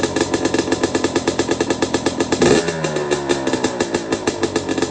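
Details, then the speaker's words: Two-stroke bike with the muffler packing removed: sharp, loud popping with every stroke at a fast, even beat, dipping briefly on a blip. Each stroke is audible, a knocking that doesn't sound bad. Healthy, just very loud. "And it has a lot more of, like, you can hear every stroke. You hear it knocking, and it doesn't sound bad. It still sounds like a healthy 2-stroke engine."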